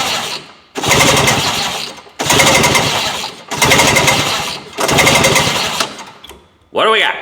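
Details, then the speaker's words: 1971 Ski-Doo Olympic two-stroke snowmobile, compression test with fuel in the cylinders: four cranking bursts of quick, even, strong chuffs; better than a Polaris reading 120, healthy compression. "I would say that's about as good as Remington's freaking Polaris nice one that's better than Remington split"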